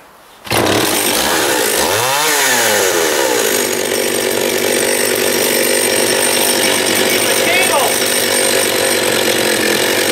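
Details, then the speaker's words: John Deere EV45 chainsaw after carburetor rebuild with new diaphragm, high-speed needle adjustment: fires up, revs swing as needle is turned (too lean nearly conks out), then holds a clean, steady high scream without stumbling; running healthy. "it seems all right there seems pretty happy"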